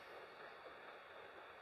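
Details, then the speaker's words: Acra Bridgeport-clone mill head reassembled after repair, all parts cleaned and oiled: the spindle turns with only a soft, even hiss and no rumble or grinding. The spindle bearings run quiet and normal. "make sure everything's free everything's quiet everything has play you hear that's super quiet spindle bearings"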